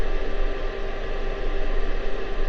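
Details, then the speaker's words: TP3006D bench-top lab power supply, warm: steady loud airy cooling fan rush with faint hum, no rattle or pitch wobble. Normal fan noise. "You can barely hear me over the fan. Alright, I'll just talk loud."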